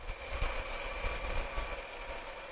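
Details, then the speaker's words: 2006 Pontiac Torrent Copart rebuild, engine cover missing: quiet, steady idle with a soft low rumble and faint constant accessory whine, no knocks or misses; normal idle. "oh wow but she sounds good looks good well she don't look good still gotta clean the engine off"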